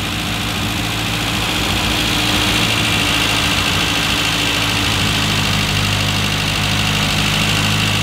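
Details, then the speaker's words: Classic Mini engine (low compression, due for a rebuild) being tuned for E10 petrol with electronic ignition timing. The idle speed has been set down to a steady, even idle with no hunting before the carburettor mixture adjustment: normal idle. "that's about where it needs to be before we go on to do the mixture adjustments"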